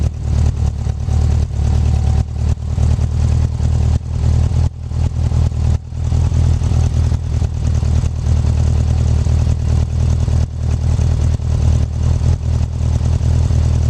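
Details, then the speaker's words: 1984 Honda Goldwing 1200 running on a swapped-in 1985 Honda Prelude fuel pump. Steady, even engine beat with no misses or knocks. A faint tick and vibration at the pump's black end is possibly its internal mechanism, the owner guesses; otherwise it runs normally. "But other than that, you can hear it's running just like it's supposed to be."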